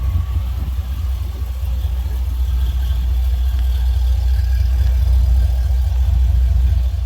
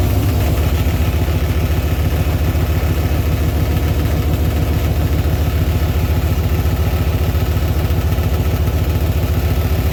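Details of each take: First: 2000 Chevy Tahoe after a 6.0 V8 swap with long-tube headers, Y-pipe and a temporary single-chamber muffler: deep, even idle with a loud, raw exhaust note, no knocks, ticks or misses; normal idle. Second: Tahoe with swapped-in 6.0 V8, long-tube headers, Flowmaster FX muffler, first start: rough idle with rapid clatter about three or four hits a second; cooling fan blades striking the shroud.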